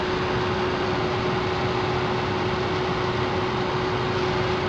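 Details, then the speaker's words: Ford Focus cabin blower, newly installed replacement motor on top speed 4, much stronger than the old one: smooth, steady rush of air with constant low motor hum, no rubbing or rattling; normal. "finally 4. Seems to be so much stronger than the last one, huh?"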